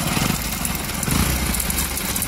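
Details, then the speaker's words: Hero Passion Pro motorcycle at idle: dry "kach kach" clattering rattle over a small single thump; timing chain replaced two or three times without curing it, broken timing chain tensioner gear letting the chain slap. "कच कच कच करके आवाज आ रहा है और आप video में बने रहे हम दिखाते हैं इसमें क्या प्रॉब्लम है"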